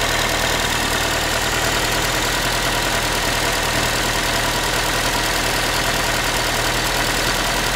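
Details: Ford Focus 3 1.6 (125 hp), manual, after cold start: tinny pan-like metallic rattle over the idling engine at a fast uneven patter; source unknown, owner asking what it is.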